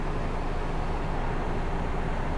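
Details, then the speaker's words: 13,000 BTU bedroom air conditioner on low cool, running from an Energizer PPS2000 power station at about 1500 W. Steady, even low hum with no rattles or cycling; the compressor is running normally. "And I don't believe it. It is actually working. I can hear the compressor running."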